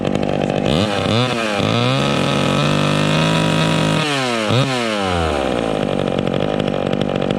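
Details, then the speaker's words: Vintage chainsaw during carburetor high-speed adjustment, revving with no load: repeated blips up to a high scream, blubbering rich (four-stroking) at top revs, expected to clean up in the cut; four-stroking at no-load high speed. "she's a blubbering blubbering in the cut are blubbering when she's revving up on no load but it should clean up in the cut"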